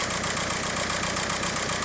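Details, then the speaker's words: VW PD TDI diesel with injector code P1666 and P0301 idles with a lumpy, uneven beat under a strong hiss; cylinder 1 misfiring as the computer shuts off the injector. No harness damage was found. "is shaking pretty good anyway it's misfiring pretty good"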